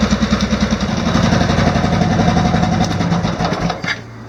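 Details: Off-road mower after swapping in an OHV single-cylinder engine with valve lash reset to spec, new exhaust, started unchoked: quick, even, quiet putter at idle with no ticking, unlike the old flathead; healthy.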